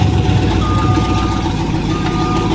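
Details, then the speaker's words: Monster-truck school bus on its maiden drive, no exhaust fitted: two steady mid-pitched backup beeps about a second apart over a low idle rumble; reversing alarm working normally. "you hear that backup beeper that's cool"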